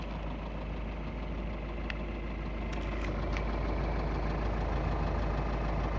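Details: 2.0 TDI common-rail diesel at idle: a regular knock about three to four times a second riding over the diesel clatter; rod bearing knock.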